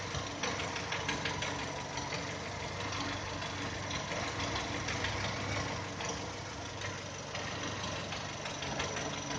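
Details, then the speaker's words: 2010 VW Touran 1.6 BSE, cold idle after two days parked: light uneven tapping starts as revs fall below 1000, seemingly left side, fading as it warms, stopping above 1000. Rebuilt just over 15,000 ago: new pistons, valves, hydraulic lifters, bored block; cause not pinned down. "Обороты падают, и начинается стук. Пожалуйста. Ощущение, как будто откуда-то с левой стороны стучит. По мере подевания он все тише и тише стучит."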